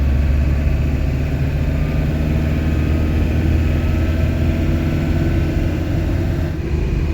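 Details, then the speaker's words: Camper van after engine radiator replacement, road test on new tyres approaching 80 km/h in strong wind: steady low tyre and engine drone with wind buffeting, no hum, whine or thump; tyre noise normal. "y a beaucoup de vent aujourd'hui je suis un petit peu secoué mais pour le moment honnêtement au niveau du bruit des pneus ça va"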